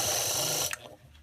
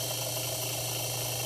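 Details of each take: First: Household fan motor, disassembled, shaft very hard to turn by hand; motor hums but shaft won't spin, and on high it whirs then catches: seized, dry motor bearing, to be lubricated with drops down the shaft. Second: Household fan that had stopped turning, after lubricant was applied to the seized motor shaft, on high: a steady low hum and smooth, even whir with no grinding or squeak; the fan now runs normally.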